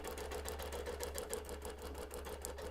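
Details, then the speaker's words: Quilting machine sewing a quarter-inch basting stitch along the edge of a wholecloth baby quilt: a quick, even stitch clatter of about seven stitches a second over a soft motor hum. Normal stitching. "I'm using a/ quarter inch basting stitch it doesn't really matter what kind of stitch you use is this is all going to be hidden in The Binding"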